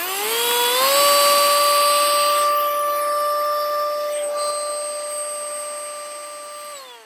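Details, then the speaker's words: HT201 2-in-1 compressed air duster/vacuum, about 11 months old, after repair that converted it from cordless to corded 12V supply (draws about 3.5A at 12.6V): motor spins up to a steady clean high whine, then winds down smoothly; normal run. "We've gone from cordless to corded, but it does now function at least. So I'd call that an improvement."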